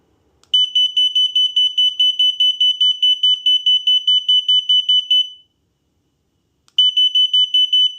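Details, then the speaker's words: Unicycle alarm unit A1: runs of rapid high-pitched beeps, a pause, then more beeps as it triggers falsely on sound interference, even with its speaker removed. The cause is unconfirmed. "Something's odd about A1 because even if I if I remove the speaker all together uh it still goes off um uh with the sound interference."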